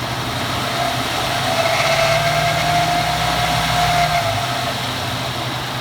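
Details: 2014 Ford F150 4x4, hood open, phone set down: a thin high nails-on-chalkboard squeal rises over the engine drone as revs climb and falls away as they drop. Once cold-only, now constant; source not found. Squeal when revving.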